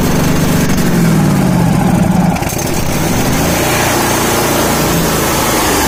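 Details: Miller Bobcat welder with Kohler Command twin, horizontal shaft, crank-no-start from faulty carburetor fuel solenoid, solenoid bypassed with direct power: engine catches and settles into a steady, even idle with a smooth low throb; running normally on fuel.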